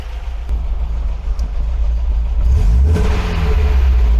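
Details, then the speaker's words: 1980 MGB four-cylinder with twin carburettors after head gasket replacement, timing and carb tuning, bonnet closed, gas tester removed: crisp throttle blips rise and fall cleanly with no miss, knock or hesitation; normal revving. Oil pressure about 60, engine cool. "when you factor in the uh closed bonnet and the fact of the gas tester is removed so it's not making its noise i think it sounded pretty good at that"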